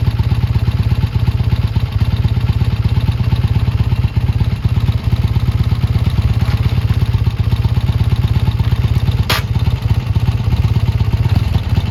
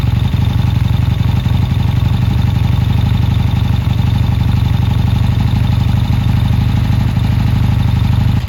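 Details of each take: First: Triumph T140 twin after new carbs fitted and an air leak sealed with extra clamps: even, crisp idle with a steady thumping beat and no misses or hunting. Normal, clean idle. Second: Triumph T140 twin before new carbs, hard to start, dead battery, lots of smoke: low, lumpy beat of about four pulses a second that keeps stumbling and never settles into an even idle. Runs rough, cause unconfirmed.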